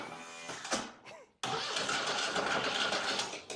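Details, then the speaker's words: Cub Cadet GT2544 restored from a basket case with new fuel pump and cleaned carburetor, hot-wired with starter fluid; starter churns in short bursts but never catches, owner thinks it needs choke; cranking, no start. "all right uh we probably need some choke let's choker that's not a good sign"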